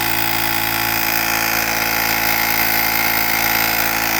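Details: Pelsee 2-in-1 jump starter and air compressor inflating a completely flat bicycle tire to a 43 PSI setpoint: loud even buzzing chatter about four pulses a second, steady under load; pumps normally, shuts off at target.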